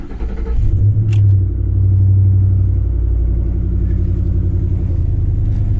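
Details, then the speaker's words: 2010 Ford F-150 Lariat with 188,467 miles and a salvage title: it catches instantly and settles into a deep, steady, even idle with no misses or knocks; normal cold start and idle. "Yeah, it fires right up. 188,467 miles. Transmission feels solid. Yeah, this whole powertrain feels solid."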